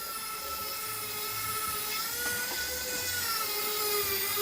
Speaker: and i am literally trying and trying and trying and trying to stop that going in and it won't